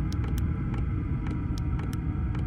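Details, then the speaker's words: Vevor "Chinasto" Chinese diesel parking heater (5 kW unit limited to 2 kW) in a van: sharp sparse fuel-pump ticks over low rumble, spacing out as pump frequency in Hz is lowered on the display. Normal. "fréquence qui diminue et j'entends aussi la pompe qui ralentit"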